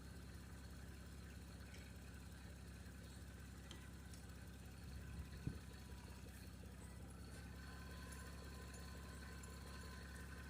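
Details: 1989 Toyota Cressida that sat for years, just revived: low, even, unhurried idle rumble with no knocks or misses; brief smoke at startup already cleared. Normal idle.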